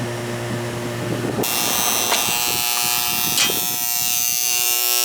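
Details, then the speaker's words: Condenser during annual service: a steady low electrical hum with a buzzy edge, later swamped by fan hiss. The contactor is humming, before the faulty 40/5 capacitor was replaced. "Okay. He's a Hummer."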